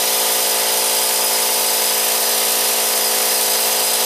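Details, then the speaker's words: Harbor Freight 125 psi air compressor after fitting a new run capacitor (two caps in parallel), starting with about 20 psi in the tank: loud, steady, even buzzing roar of constant pitch, no stalling. Finding: normal compressor run, noisy by nature. "I can tell you one thing, these old Harbor Freights, they're a noisy son of a gun."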